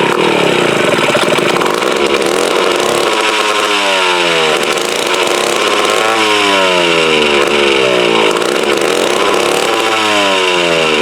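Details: Mid-1950s Strunk Speed Demon chainsaw (likely the Pro, 24" bar), bar and chain off, unused since the early 70s. Raspy two-stroke buzz surges and sags in waves. Uneven running from fuelling, carb needs a rebuild kit, dirty tank, ignition good.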